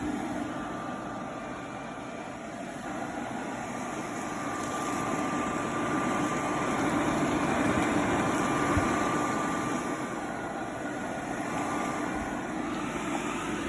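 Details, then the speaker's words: Vintage Oster Professional Portable Hair Dryer with a loose part needing glue or a shim, running and starting to heat up: steady, even fan whir with a faint constant tone, no rattles or scraping; working normally. "But as you can see, it works, or you can hear it work. It is now starting to heat up."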